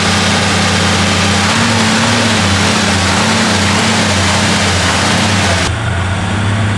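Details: Chrysler 300J with 413 Cross Ram V8, just reinstalled and started during carb tuning. Loud, even burble at steady warm-up idle, firm low rumble, no ticks, knocks or misfires: normal V8 idle.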